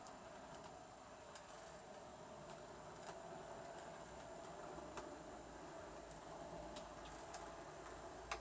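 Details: Bachmann Evening Star model loco with Loksound V5 decoder and double speaker, running at speed step 10, below the trouble range: faint even light ticking, no surging or stutter; owner suspects the motor causes mid-range stutter and surging.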